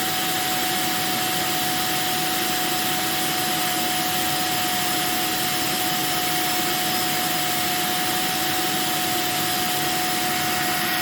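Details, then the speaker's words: Electrolux 1505 Silverado canister vacuum, refurbished, running without power nozzle or wands: steady airflow rush with a thin constant whistle on top; owner suspects the small hole to the automatic control valve or the inlet shape. "oh and you'll hear a little bit of a whistling noise i think it's from the little hole inside here that would usually lead into the uh the automatic control valve or maybe it's just from the shape of the inlet i don't know"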